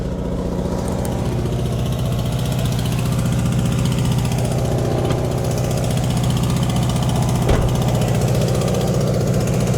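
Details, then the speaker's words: Cold-weather start of a car after battery charging: rough, loud low rumble with an uneven pulse about three per second right after a cold start, said to go away and take longer because it's so cold; cause unclear. "Woo! Yeah, you can hear that terrible noise."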